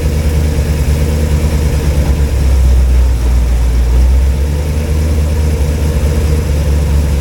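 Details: Cold engine (flat-tappet cam, after a wiped cam lobe and teardown) idling with good oil pressure at 40°F, no water pump fitted so run only briefly; steady low rumble, no valvetrain clacking or knocking: normal cold idle.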